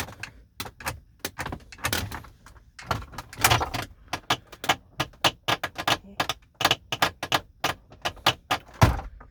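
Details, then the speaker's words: 2011 Mercedes-Benz R350 interior: sharp clicks and hollow clacks in irregular bursts as the glove box lid is worked, loud rattle and creaking; glove box rattle. "may be the loudest glove box i've ever experienced"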